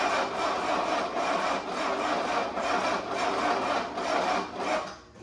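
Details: 1984 Mercedes-Benz 300SD diesel: starter drags engine slowly, about two heavy compression beats a second, never catching; cranked like a snail even on a new battery, cause unconfirmed.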